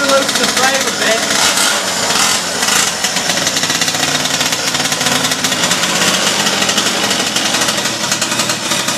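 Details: 47cc two-stroke pocket bike revived with parts from a donor bike, 25:1 fuel mix; high busy buzz holds steady and even with no misses or bogging, running strong.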